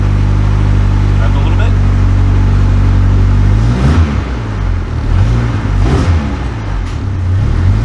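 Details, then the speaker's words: Rebuilt K24 engine in AWD Civic with sequential gearbox in neutral, first start after rebuild, primed and oiled: smooth steady low idle with two quick blips, settling back evenly each time; alternator working. Normal idle and revs. "alternators working man everything all right so first start went off really nice once we got everything working uh it seems good"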